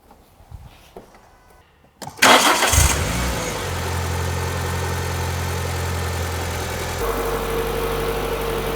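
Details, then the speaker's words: Renault Clio 182 left sitting for years, after new exhaust hangers, oil, filter and plug service, checking a previous rattle: brief crank, catches and settles into a steady even idle with no rattle; normal start. "that sounds all right to me ideal that sounds mint"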